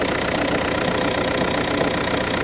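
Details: VW Touran 1.9 TDI diesel cold start idle: faint steady knock following idle rhythm; noise only in the morning, no issues when driving or changing gears; source unclear.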